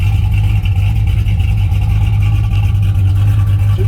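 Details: 1981 Camaro V8 after a roller cam, aluminum heads and intake swap, retuned, warm with 35–40 psi oil pressure: a deep, even idle with a mild cam lope and no knocks or ticks, steady and smooth. A healthy small block.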